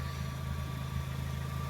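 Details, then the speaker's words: Fiat Grande Punto petrol, fresh MOT, battery not charged from sitting: engine ticking over with a smooth, even low hum and no ticks, knocks or misses, then a bit of gas. Normal idle. "it's been all right when you can hear it ticking over nicely I'll give it a bit of gas nothing wrong with that is there"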